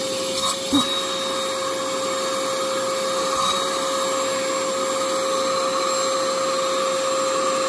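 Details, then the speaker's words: Used bagged vacuum from Facebook Marketplace: a steady high-pitched motor whine with a strained, airless tone and little rush of air. The suction is clogged; the bag doesn't appear too full, and the owner plans to unclog it. "that bag might be getting full oh it's clogged oh well that'll do it"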